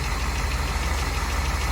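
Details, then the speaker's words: Dodge Challenger with 318 V8 at idle after a cold start: steady deep idle with a faint light tick at engine speed; owner attributes the tick to a slight exhaust leak, not confirmed. "a little bit of a slight exhaust leak that's what you probably heard right off the start when i started this thing like i said i mean little little tick"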